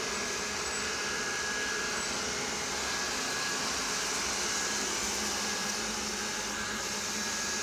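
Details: Roborock robot vacuum on its 2nd day: thin, high squeak about three times a second over the motor hiss, persisting with main and side brushes removed; cleaning and blowing air around the front wheel stopped it, front wheel squeak.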